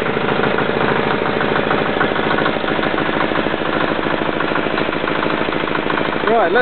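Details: Royal Enfield with Yanclone Suntom 186CF 406cc single-cylinder diesel, second run after rebuild (new injector, fuel line, head and crankcase gaskets, valves decoked): even, steady idle thump, no knocking or misses, oil pressure light out; healthy.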